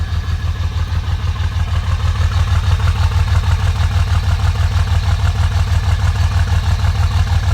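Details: 2005 Dodge Ram that misses and smokes on cold start but smooths out when driven, idling cold: heavy, very regular low thump near 190 a minute, lumpy; owner suspects bad injectors, not confirmed.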